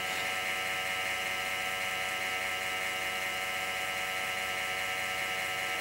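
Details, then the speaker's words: Compaq Presario SR5123WM desktop booting Windows Vista: a constant raspy whir with a gritty, scratchy edge from a grinding case fan with a worn bearing that needs replacing. "So I guess a case fan's in this thing's future."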